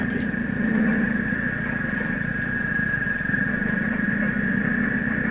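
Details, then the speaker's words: GE C600 tube radio during voltage tests, tuned to 590 with the signal generator removed: fast low putt-putt throb under a fixed high whistle, station buried beneath. Audio motorboating; cause unknown, alignment questioned. "here's some motorboating in the radio [Music] voices are really this is an unhappy radio he's very very unhappy"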